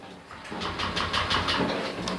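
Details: Honda Click 125i scooter hard to start and won't rev, bogging on throttle: starter churns in quick pulses, about six a second, but engine never catches; clogged fuel injector.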